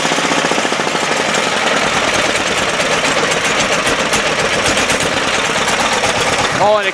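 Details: 10hp single-cylinder Yanmar-clone LaunTop diesel cold start at about -4°C, running under a minute, still smoking during warm-up; fast even chugging with no misses or knocks; normal cold-start warm-up running.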